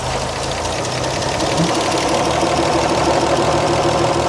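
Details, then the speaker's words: 1938 Chevrolet, warm engine idling during a running valve lash adjustment, exhaust valves set to 0.014 in: lumpy uneven idle with irregular thumps, nearly dying. "Almost died on it. Yeah, it did."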